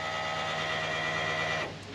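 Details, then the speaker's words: L98 V8 in an 80 Series Land Cruiser: steady, even high hum of the fuel pump priming, heard through the regulator, then it drops away. Fuel is reaching the regulator with no leaks, so pump operation is normal. "all right well we've definitely got fuel we can hear it through the reg can not see any leaks so i think we are happy days there"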